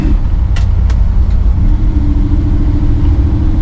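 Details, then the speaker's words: '57 V8 on the rebuilt Holley carburetor (FiTech injection removed), driving around the block at night: deep, steady rumble with no stumble, misfire or surging. Smooth and normal but short on power; idle screws adjusted only by ear. "still doesn't seem like it's got you know tons of power but uh at least it's smooth now running how i think it's supposed to be"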